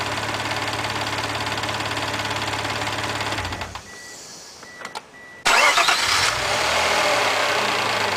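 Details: Mazda MX-3 engine warmed to normal operating temperature, idling: fast, busy metallic clatter over the hum, briefly cut and restarted; owner asks what the noise and problem are, source unclear.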